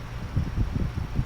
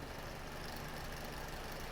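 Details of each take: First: Climate Keeper two-speed window fan, high setting, after oiling the motors: soft, even whirr with a gentle steady pulse and no scraping or rattling; running normally. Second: it still makes I don't even know if you can hear that but the noise it makes is just hideous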